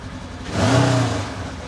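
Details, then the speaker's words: 2015 Polaris RZR 900 after installing a Mother Clutcher primary clutch kit with a brand new belt: short clean rev swells and falls back smoothly, no squeal, rattle or slip noise; clutch engagement sounds normal. "There you go. That seems all right. Again, it's going to be kind of moving just slightly. Nothing's perfect."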